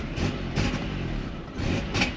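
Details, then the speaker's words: 1993 Mercedes-Benz 220CE (W124), non-runner project car: petrol engine fires and runs roughly, surging in uneven bursts, then stalls itself; earlier a relay by the battery was clicking on and off. "well that's not good is it it just kind of fired and then it turned itself off"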